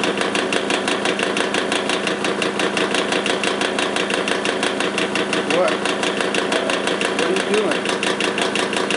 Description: Bad bearings in an old Magnetek electric fan motor.